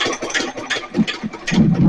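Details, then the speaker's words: Nelson Little Jumbo 1 1/2 HP hit-and-miss engine after governor repair, recorded near flywheel and counterweight governor; strong firing thumps about every third of a second with coasting gaps, even rhythm; finding: normal hit-and-miss running. "This right here, this is the governor. Got a little weight counterweight to fly out."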